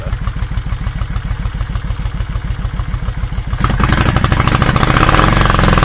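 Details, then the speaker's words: Cold Yamaha Virago 535 V-twin started without choke, which the owner finds makes little difference. Uneven, lumpy idle that turns ragged and misfires when revved. Also lacks power at higher speed; a carburetor fault is suspected. "Doesn't want to rev up. Starts okay-ish, doesn't want to rev up. Sounds like it starts misfiring as soon as you do."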